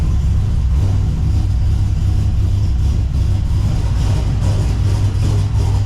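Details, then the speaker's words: LS1-swapped Subaru BRZ with Michigan Motorsports Stage 3 drift cam and new crank pulley, not yet tuned, warming up: deep, loud V8 idle with uneven choppy lope, no knocking. Lopey cammed idle, normal for the cam. "After it warms up a little bit, it starts to really chop and you can hear it."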